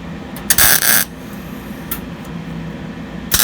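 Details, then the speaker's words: MIG spot-welding primered bedside panels on a 1953 Ford F250 truck: short, crisp crackling bursts like cooking bacon with each spot weld, showing a well-set welder with a good ground. "So as you can hear, it just sounds like cooking bacon. Get that sound, get a good ground, and then obviously I'm just spotting it in right now."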